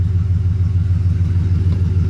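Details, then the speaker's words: 2008 Ford truck, 4.6 L V8, after owner's fix of month-long shaking idle that also cut the air conditioning: deep, steady rumble with an even pulse, no stumbles or shake; all cylinders firing cleanly at idle. "Let me show you something. Okay. See how nice and steady that is? It's not shaking and all that kind of stuff."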